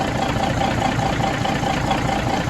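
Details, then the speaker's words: 1981 Peterbilt 359 diesel started after reportedly sitting about a year, cranked over easily, smoking only slightly, AC belt off; steady idle with light regular clatter and no knocks or mystery noises, normal idle. "Sounds good. I don't hear any knocks. I don't hear any crazy mystery noises."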